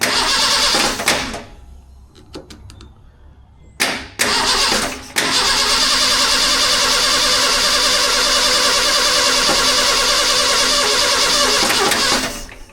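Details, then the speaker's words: Truck that sat almost 15 years, first start attempt: long steady cranking at about two and a half turns a second, never catches; no fuel reaching the engine, owner suspects the fuel pump isn't pumping. "Dadgummit. I bet that fuel pump ain't pumping. And I ain't got a fuel pump."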